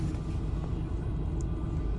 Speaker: запускаємо авто класнов клапан газ включився авто працює